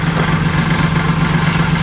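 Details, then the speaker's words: Idling car heard from the rear exhaust with a fast tinny rattle pulsing about eight times a second; the resonator muffler has collapsed and is causing the exhaust rattle. "i hear a little like rattle oh wait turn it back on i want to hear it real quick [Applause] sounds sick back here [ __ ] it boy this remuffle has collapsed"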